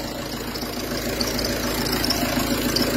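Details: Peugeot Partner 2.0 HDi 90 diesel idling with a dry, uneven clatter of about three or four clacks a second, diagnosed as a worn accessory belt tensioner pulley.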